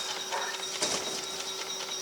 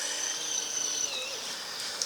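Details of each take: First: Cheapest portable folding washing machine, 36 W, while camping: a quiet, soft steady hum with light ticking and rattles during normal agitation. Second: Cheap portable camping washing machine running at about 36 W from a power bank: a thin, steady high-pitched whine as the small motor strains against too heavy a wash load.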